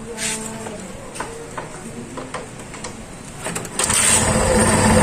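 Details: Yamaha FZ150 single after timing chain repair that cured top-end noise; starter catches and it settles into a smooth, even, quiet idle with no ticking or rattle, where before it was "singing".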